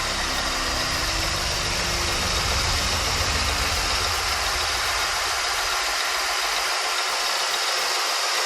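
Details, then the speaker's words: 2003 Mercury Grand Marquis with swapped 2005 4.6-litre V8 from a GT, reflashed Mustang computer: smooth, even idle with steady hum and no knocks, ticks or misses; engine healthy. "Let me turn it on so y'all can hear what it sounds like. Look at that sucker purr."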